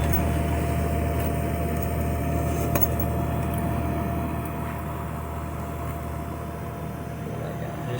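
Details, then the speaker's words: Undercounter cooler compressor after a no-cool call, running just after hard start kit installation, drawing about 7 amps on the run wire; steady low hum with faint constant tone, no clicking or cutting out, running smoothly. "Alright, we now have a compressor sound. We did not have before, but just to verify."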